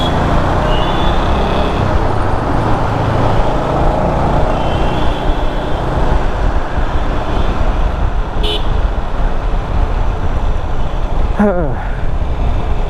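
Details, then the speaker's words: Bajaj Avenger with the helmet visor open: a constant deep rushing wind roar drowns out the engine and traffic, buffeting off the windscreen; the rider hears much less with the visor closed. "84 बहुत तेज हवा जाती है यार चलते हुए I don't know तो मैं तो हेलमेट बंद कर लेता तो मुझे बहुत कम आती है बट जब भी मैं एलिमेंट की विंडस्क्रीन खोलता हूं तब मुझे काफी आती है यह आवाज"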